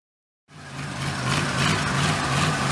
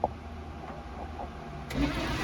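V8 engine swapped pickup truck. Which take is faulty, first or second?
second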